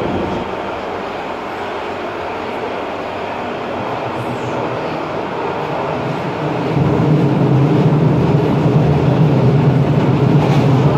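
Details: Ansaldo Breda light rail car A19 (1996, Italian-built, AEG motors), Ankara A1 line toward Dikimevi: loud low rumble with steady clatter about three beats a second that swells midway; noisy rough ride, cause unclear.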